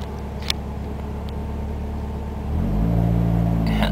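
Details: Ford ZX2 idling at a stop sign: steady low petrol idle, then the revs step up and hunt higher when defrost/AC is switched on, and it is normal when off. Pulling the AC fuse cured it; owner assumes a bad compressor.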